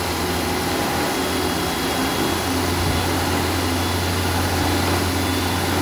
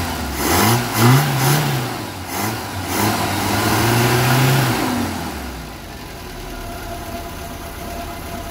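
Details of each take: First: 1975 Vauxhall Viva barn find with newly fitted Weber carburettor and Edelbrock intake: steady, fast, even drone never settling to slow idle; high idle, owner about to power the unfed carb idle cut-off solenoid with 12 V. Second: 1975 Vauxhall Viva HC barn-find with newly fitted Weber carburetor and Edelbrock intake, after running a 12-volt feed to the carb's idle cut-off solenoid: crisp throttle blips rising and falling cleanly, then steady, even idle with no misses, "purring like a kitten"; normal idle and revving.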